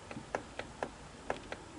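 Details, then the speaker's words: Singer model 457 sewing machine, horizontal arm shaft rocked by hand after moving the adjusting collar against the bearing; sharp uneven clicks; a little end play still left in the arm shaft. "just a little tiny bit of play there I think I could I think I could actually yeah I think I could actually get that closer"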